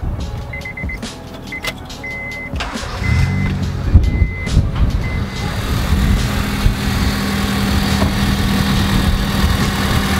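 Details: Honda Civic after AC compressor work and new drive belt: a few dash chimes, then the engine fires and holds a smooth, steady idle with no belt squeal or compressor grinding; normal idle.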